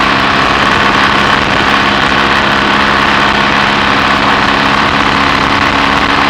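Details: BSA A65 Thunderbolt twin with Boyer ignition, on a test ride with lights on after closing the spark plug gaps cured an occasional misfire under load: steady even engine note under load, no stumbles or dropouts; normal running under load.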